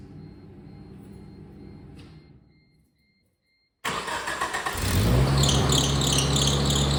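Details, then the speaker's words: 1997 Geo Tracker idling on a new lower belt: the engine runs with high chirping squeals. The alternator pulley is very hot while the other pulley is cold, pointing to a failing, dragging alternator bearing; the owner suspects it seizes once warm. "The pulley is super hot. There we go. This pulley's cold. Okay, the alternator pulley is super hot. So that's it. It's the alternator, because the alternator pulley is super hot."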